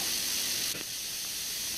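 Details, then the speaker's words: PAM8610 amplifier module on battery power, driving 10 W Pioneer speakers from an MP3 player: a steady high hiss with no signal that doesn't change with volume. The noise floor is likely a board design issue. "I'm afraid you can already hear the noticeable noise level."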